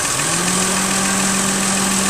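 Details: 1997 Geo Metro, 1.0 L 5-speed, brand-new engine after drivetrain restoration, idling warm; steady, settled hum with the radiator fan's airy rush over it. The fan switches on correctly and the temperature gauge reads right.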